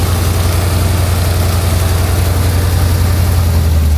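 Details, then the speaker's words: Engine idling after fixing a very bad header leak (all header bolts loose, gasket said bad); sounded bad before: now smooth even low rumble with steady pulse, no ticking or puffing from exhaust manifold; normal idle. "So this sounding like crap before with the engine runs smooth, perfect, no ticks, no knocks, nothing."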